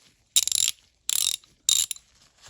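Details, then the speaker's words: Vintage Dayton (Thorsen) 4X356 3/8" drive ratchet, tested just after teardown and reassembly: three quick bursts of fine, crisp, evenly spaced clicks as the handle swings back; the pawl catches cleanly, so the ratchet works properly. "It's ratcheting. Good."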